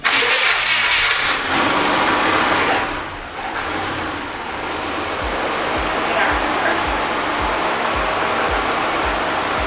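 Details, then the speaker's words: Subaru Impreza wagon EJ25 after head gasket and timing reassembly, first start: brief crank, fires first try and settles into a steady even idle pulse with no misses or knocks; still sounds healthy. "It worked like first try. Does that help you? Huh? Does that help? Yeah. Look at that. Still sounds healthy."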